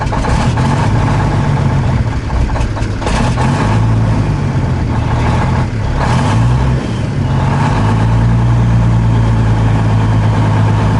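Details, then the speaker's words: 2003 International 2574 dump truck, Cummins N14 diesel, after replacing the main fuel filter feed line to cure a hard start after sitting overnight: deep, steady idle with only small speed swells, much smoother than before. "it runs way better too so much smoother oh my gosh what an easy repair it idles so much smoother too nice listen to that baby"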